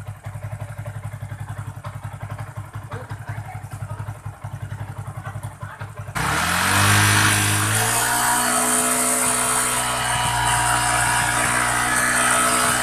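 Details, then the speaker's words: Yamaha Jupiter MX King 150cc with rough engine noise, after engine and radiator work, engine warmed up: even single-cylinder idle thump, then a steady rushing whoosh cuts in and holds as the radiator cooling fan switches on and runs normally. "Nah itu ya kipas yang sudah berfungsi"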